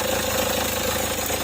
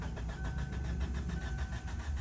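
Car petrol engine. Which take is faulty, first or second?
second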